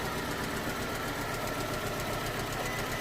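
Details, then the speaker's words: 2011 Ford Ka 1.2 with P0203 code, idling after the airbox was refitted: uneven, stumbling idle with irregular thumps. Still misfiring; the fault was later traced to a reassembly mistake. "so we're going to start this thing and is running like crap it's really running bad running poorly yeah it is so foreign yeah so it's going to be something else wrong with this thing"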